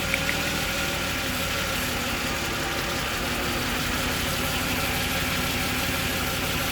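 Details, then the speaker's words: Jaguar XJ40 XJ6 4.0 Sovereign at idle, uneven stumbling beat with a hiss; one cylinder misfiring from water in its spark plug well. Pulling other plug leads changes the engine, this one doesn't; confirmed spark plug problem, unrelated to gearbox fault. "You can hear when I take the other ones off, the engine now changes, look. Take that one off, it's the same. And then it tries to fix itself. But it can't. So it's definitely a spark plug problem."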